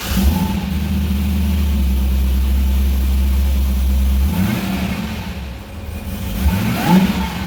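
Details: Cadillac CTS-V with a Magnuson 2650 supercharger, started right after a pulley swap (bolts torqued to 10 ft-lb with blue Loctite) and a DSX flex fuel sensor install: a strong, smooth deep run, revs dropping cleanly, and crisp throttle blips. Normal running.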